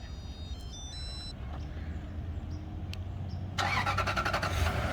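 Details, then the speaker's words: Remote start of a 4th-gen Toyota 4Runner (2003–2009) after installing a plug-and-play 12 Volt Solutions remote start kit: starter whirs briefly, engine catches and settles into a steady, even idle with no knocks or misses; healthy start. "it goes. Cranked on up. And then to turn it off, you hold it down and it cuts off."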